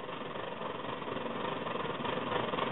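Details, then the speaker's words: Svea 123R stove just reassembled and lit, still heating up, needle possibly a little high: an even, soft rushing roar with no pulsing, quieter than a fully hot burner. Weak burner roar because it is still warming. "flame and you can see it's pretty weak you can hear it too it's pretty weak right now that's cuz it's still heating u"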